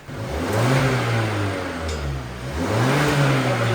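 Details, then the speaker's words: Mazda after the exhaust section was tack-welded back together and sealed, started to check for leaks. Smooth rising and falling revs with no puffing or ticking leak; it sounds stock: normal, sealed exhaust. "cuz like I said this is all sealed up now and if it sounds like this there's no point in putting that"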